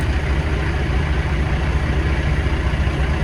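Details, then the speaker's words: Diesel truck engine idling deep and steady with no misses or knocks after replacing the fuel filter and fuel pressure sensor and priming the pump; the no-start possibly from air sucked in while very low on fuel, or the sensor. "far we're in business could have been a couple things fuel filter could have been could have sucked up some air because i was really low on fuel and two that sensor"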